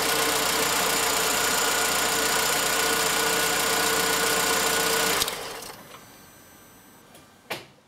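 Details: 2004 Opel Corsa C 1.2 Twinport Ecotec after spark plug replacement; even, steady idle at unchanging pitch with no misses or stumbles before clean shutdown; runs healthy.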